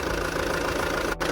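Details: Alfa Romeo Giulietta diesel idling in neutral after a fuel/diesel filter change and fuel pump priming: steady clatter with an even beat, no stumbling or hunting; idle normal.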